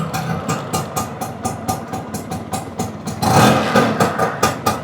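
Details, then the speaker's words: Restored two-stroke, kick-started and idling; even steady putter about two beats a second, no knocks or misses, healthy idle. "लेकिन एक बार इसकी आवाज़ सुन लेते हैं, क्योंकि इसकी आवाज़ में ही दम है।"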